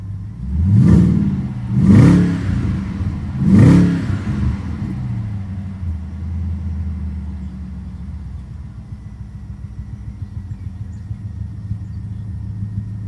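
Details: 2005 BMW 650i 4.8 V8, cylinder 5 misfire for a year, worse after about 2 minutes once revs drop; plugs, injectors and coils swapped, both VANOS cleaned: three blips then stumbling, uneven idle; cause not found.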